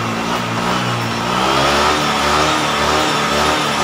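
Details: Honda PCX 150 running smoothly after cleaning a dirty, rusty ECU socket that had caused a no-start with only relay ticking despite a good battery: steady mid-pitched hum with a mild rev rise, normal.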